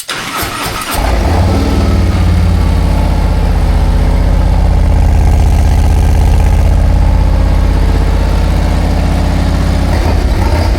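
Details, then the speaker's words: 2024 Harley-Davidson Road Glide Milwaukee-Eight, before Stage 2 cam upgrade, with slip-on mufflers and Screaming Eagle air cleaner and tuner, cold start in neutral: catches within a second into a deep steady loping idle; healthy. "And that's what it sounds like when it's cold."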